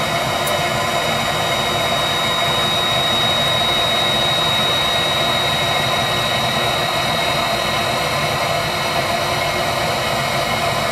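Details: Viessmann Vitodens 200-W WB2B35 condensing boiler, built about 2011, in service about 5 years: steady even hiss and hum from fan and circulator pump, no burner roar or ignition. It is stuck in its hung non-heating state, no fault codes; cause unknown.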